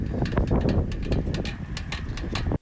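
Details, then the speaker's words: Enigma road bike rear wheel riding: sharp creaks and ticks about four a second over heavy wind rumble, from the rear hub axle run out of grease; fix is cleaning and regreasing the hub. "so I reached out to Enigma and they helped me solve this problem so what is causing it is the axle has run out of grease"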